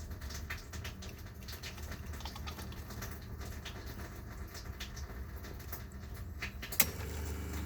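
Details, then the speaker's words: RV water pump after a noise-reduction system install, switching on as tank pressure drops to refill, heard with its cover off: low, soft, even hum, no rattle or chatter; with the cover on the noise becomes insignificant. "it started is here the ways this is the nose you're gonna hear right here but if you have them this cover this cover on and your mattress and everything else that ways will be basically insignificant"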